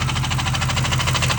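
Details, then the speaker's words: Ford Crown Victoria ex-police car V8 with a heavy rhythmic knock at about twelve a second over rough, loud running; the owner feared a thrown rod, says he blew it up. Suspected engine knock, cause unconfirmed. "oh yeah I definitely blew it up I can just feel it dude it's like on fire"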